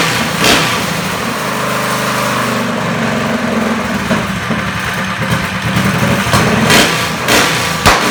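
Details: Small single-cylinder kart engine with torque converter, started with a starter box; spins up and settles into a steady, even buzz with crisp blips; healthy.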